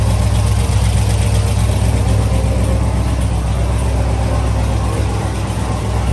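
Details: LS3 V8 in a Camaro, first start after a stuck lifter was replaced with a new cam and lifters: deep, even idle with a steady lope of about four pulses a second and no ticking, healthy idle.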